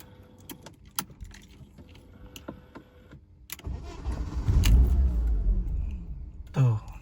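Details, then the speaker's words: BMW E36 M43 with idle trouble, idle control valve returned to its original position: the starter cranks and the engine catches, revs briefly, sags and dies within seconds. The engine stalls and won't idle. "Tuh mesin langsung mati. Mesin langsung mati. Dia enggak mau idle."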